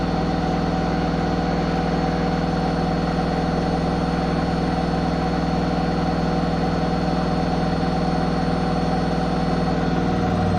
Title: Zanussi ZWH7148P knocking noise